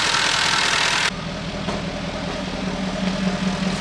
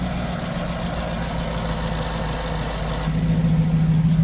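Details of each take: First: Jaguar XK idling after a brief hiss: steady, even, smooth low hum with no knocking. Earlier heavy exhaust smoke is now minimal. Some fuel injectors had been replaced so far, with the rest still planned. A later rev reveals a suspected leak noise, possibly behind high short-term fuel trims. Normal idle. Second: Jaguar XK after replacing fuel injectors, still with fault codes and heavy exhaust smoke: lumpy uneven beat about three pulses a second, getting louder; rough running because 9-10 litres of oil were diluted with petrol, suffocating the engine.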